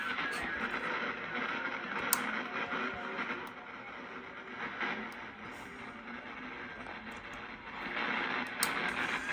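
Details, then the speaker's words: National NC-303 receiver after internal hum fixed: constant crackling hiss with irregular pops and buzzy zap bursts coming in through the antenna; owner suspects external interference from house or neighbor wiring or powerline, unconfirmed. "I don't have any hum on it now but unfortunately now I have static I have interference from the neighbors or some electrical short in my house or someone else's house so something else to figure out you can hear it here this thing has a noise"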